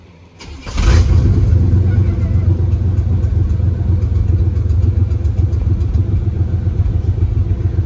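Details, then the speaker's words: 1994 Chevy K1500 after replacing coolant temperature sensor, restarted after sitting about an hour, timing not yet set: quick crank, catches straight away, steady even low rumble; clean healthy start. "That's it. She runs. Perfect. Look at that. So, it was definitely the the coolant temperature sensor."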